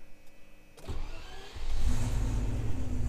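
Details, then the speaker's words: 1990 Turbo Technics Range Rover Classic turbo V8, automatic: brief crank, then catches within about a second into a deep, even rumble; a clean, healthy start. "but that v8 that sounds very nice so that's the main thing she's got going for a minute is that that sound in the turbo"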